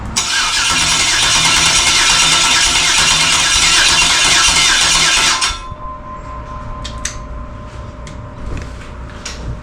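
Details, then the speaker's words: 2003 Yukon 5.3 L LS engine swapped into a 1994 C1500, on the stand with fuel pump primed by jumper wire: starter spins it evenly about three per second for five seconds, never fires; crank no start, owner concludes missing spark. "now I'm going to crank it and we'll find out if it's fuel or spark that it's missing [Music] yeah it's not firing off at all so it's got to be spark"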